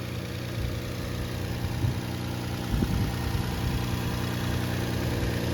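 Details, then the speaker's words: 2000 Toyota Avalon XLS, 3.0 1MZ-FE V6, just started after replacing PCV valve and VSV solenoids and cleaning MAF for P0441/P0446: steady even idle slightly high, no knocks, misses or hunting; normal idle. "but the engine sounds good and the car drives good. Starts right away, starts very easy, no check engine, RPM is not jumping."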